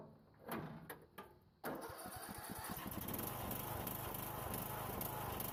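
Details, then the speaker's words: Troy-Bilt riding mower with 42-inch deck, left in rain for 3 years, with a donor electric starter and greased bearings, retest with the engine cover on: a few cranking pulses, then an even, steady run with no misses or knocks. It starts normally. "Let's go and put the engine cover back on and do another quick test. Still fire up just fine."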